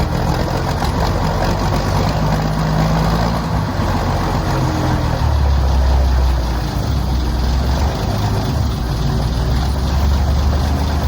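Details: M109A3 (M35A2) military truck diesel idling just after a cold start, having sat outside all night at 30°: steady, deep even firing beat with no knocks or misses; runs smooth and healthy.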